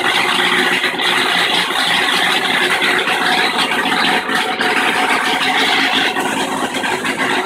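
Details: Kenmore washing machine in spin cycle, where the agitator stops but the tub keeps spinning: a loud, harsh rattling roar that holds steady through the spin with little low rumble. Cause was the nut holding the stator cover to the tub bottom having backed off.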